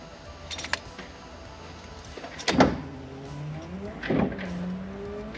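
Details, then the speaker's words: 1973 Datsun 240Z after dash restomod rewiring, battery just connected: wiper motor whirs in uneven sweeps, pitch rising and falling about every second and a half, running incorrectly; a short to power was suspected. "Well, the wipers work. Not correctly? Not correctly."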